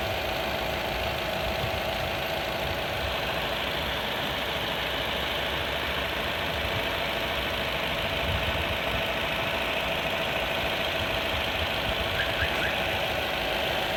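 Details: Corsa D 1.4 A14XER, 134k km, regular oil changes, first morning cold start: faint constant light rattle or tick under idle, lasting 1-2 minutes then nearly gone; owner suspects the never-changed timing chain, unconfirmed.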